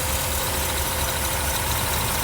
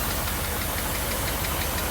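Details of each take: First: 1982 Mercedes 380SL first start after installing new pre-oiled timing chain tensioner replacing bad one; even, quiet, steady idle with soft rumble, no knocks or ticks; normal idle, best it has sounded. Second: 1982 Mercedes 380SL V8, warm idle after new pre-oiled timing chain tensioner, water pump, hoses, vacuum leak fixes: light rapid tap-tap-tap on passenger side keeping pace with engine speed; valvetrain tapping, cause unclear.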